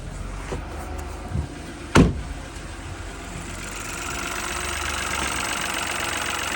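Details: Peugeot 2008 after wet timing belt replacement for low oil pressure, engine light still stored but no oil pressure warning: quiet, even idle with faint low hum under outside noise, no knocking or rattling; normal idle.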